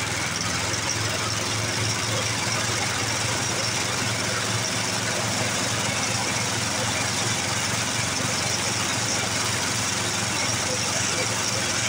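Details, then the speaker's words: 1982 Snapper Hi Vac mower stored for years, running on fresh fuel with air filter off: steady, slightly rough single-cylinder run with a busy rattle, burning stuff out. "well now just didn't run too awful bad did she fired Right Up grand decent"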